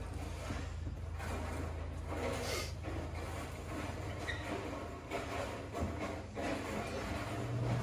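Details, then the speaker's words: RV rooftop air conditioner switched to cool mode on the thermostat: low, steady drone holding even, no rattles, squeals or on-off cycling; unit running normally. "we can hear the air conditioner's kicked on. Everything's running great."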